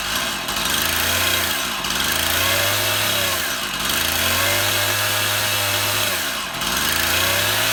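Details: Stihl MS171 chainsaw, a cover off for priming, run outside: two-stroke surges up and sags every couple of seconds, only runs on choke; fuel restriction, engine starving for fuel from a blocked carburetor screen.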